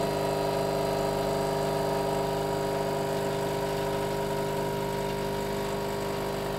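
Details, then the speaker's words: Blue Pod LB4100 Clara coffee machine backwash with blind pod handle and half a teaspoon of Espresso Clean: steady even pump hum that goes quieter after a few seconds, no knocks or rattles; normal pump operation. "After a few seconds you'll hear the pump go a little bit quieter."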